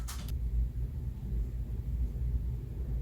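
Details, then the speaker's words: Ceiling fan with an odd number of blades, balanced with a penny on the blade opposite and painter's tape, running on high: soft steady hum, no wobble and no shaft creaking from above; balancing fixed it. "I don't see any movement. I don't even see these moving. And that's on high. I don't hear the shaft creaking up top. So I think we nailed it."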